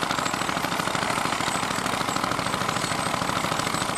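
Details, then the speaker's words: Vintage Fiat hot-bulb (testa calda) tractor, exact model unknown, ploughing at a festival: steady, even thudding beat with a regular rhythm under load. The normal running beat of a hot-bulb engine. "Sì è un'altra Fiat Ma che Fiat è quella lì è un testa calda sentite come batte è un testa calda"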